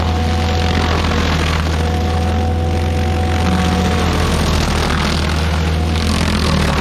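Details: Stump grinder's small engine, first job after a rebuild, on a willow stump: strong, steady low drone with an even firing beat and no knocks or misses; runs clean under power.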